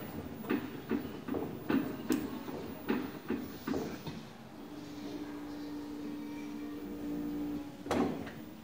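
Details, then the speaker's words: LG inverter washing machine with AE error, after a magnet is placed at the magnetic door switch: relay clacks, then a steady even motor hum as the drum spins smoothly, normal drum spin. "Ôi rồi, chạy được luôn rồi. Quay được lồng thế là chạy được luôn rồi các bạn nhé."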